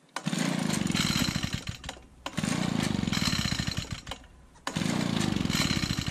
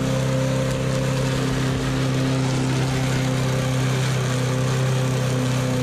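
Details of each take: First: Used push mower, small single-cylinder engine, run with the air filter removed, smelling of gas: fires and runs flat-out in rough bursts, stumbling to a stop whenever the throttle comes back; runs only at full throttle. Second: Used push mower, small single-cylinder engine that had a very loose spark plug: starts easily and runs with an even, steady hum, constant low tone, no knocking or surging; normal healthy running.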